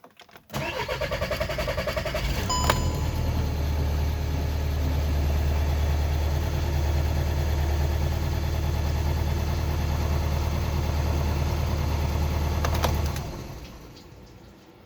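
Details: Skoda Octavia 2 diesel with hard start and glow plug light; cranks about two seconds before catching, then steady idle, hard start traced to a faulty G28 crankshaft position sensor.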